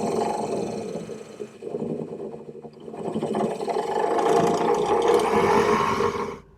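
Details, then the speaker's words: 1965 Corvair (flood-damaged) heater blower motor, which screeches about half the time: a harsh, wavering screech swells over a low motor hum, then cuts off; airflow is weak. Motor to be replaced with a PM102. "I've had the opportunity to use the heater more, and about half the time the blower motor lets out a ridiculous screech. Let's hear what it sounds like."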